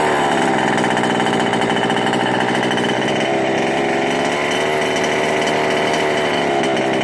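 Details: Ikilly 2 small two-stroke after clearing a flooded engine (carb removed, engine cleared): high, steady buzz holding even revs with no stumbling or bogging; running cleanly.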